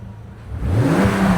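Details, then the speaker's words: Bentley Continental Supersports W12 after fitting Walmart ignition coils: quiet at first, then the engine climbs cleanly in pitch with no stumble or misfire, no check engine lights; a smooth, healthy rev. "It's good. No check engine lights. Totally smooth through the revs."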